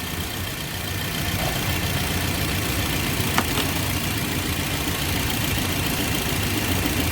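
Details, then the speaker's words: 2007 Toyota Yaris petrol engine idling with AC on: uneven stumbling beat, hunting idle and misfire, customer reports jerking; cause traced to a failing ignition coil. "कि अ मैं अभी गाड़ी hunting हो रही miss पर हो रही"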